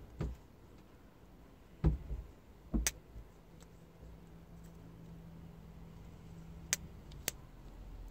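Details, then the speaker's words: Marine Prestolite distributor, key on so the coil is powered, base turned clockwise then counterclockwise by hand: a few sharp isolated snaps over a faint steady buzz. The electronic pickup is triggering properly; no snap would mean a dead pickup. "right pretty easy right that's how you tell if your electronic pickup is working"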